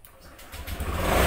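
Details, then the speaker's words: 2021 Honda Scoopy Prestige scooter started by entering the secret ID tag code instead of the keyless remote: engine catches within half a second, settles into steady low hum; normal start. "seperti biasa temen-temen ya langsung nyala"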